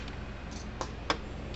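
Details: American Farmworks 120 mile fence charger on the bench, its indicator light no longer flashing; quiet sharp clicks at regular intervals over a low hum. Normal steady pulsing.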